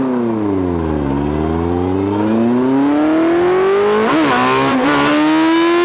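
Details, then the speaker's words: 2003 Yamaha FZ1 inline-four: revs smoothly then stumbles with brief dips near the top, a slight misfire above about 10,500-11,000 rpm, getting worse higher; owner suspects rich carb jetting. "it w rev well it rev but it started shooting ducks or a slight misfire and that was anywhere above 105 11 got a little worse"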